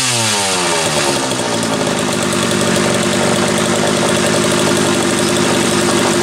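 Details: Homelite 330 two-stroke chainsaw, formerly trash-heap bound: crisp snarl holding a steady, even buzz with no misses or sag; kill switch wire not yet hooked up; runs clean and healthy.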